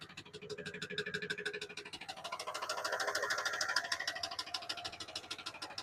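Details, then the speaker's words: Truck engine after fuel system work, revving and hanging at higher RPM, then sudden sharp, regular knocking at about three per second over a faint engine; owner suspects a blown rod, not confirmed. "Uhoh. Uhoh. Uhoh. Whoa. No. Oh my gosh. I think I just blew a rod."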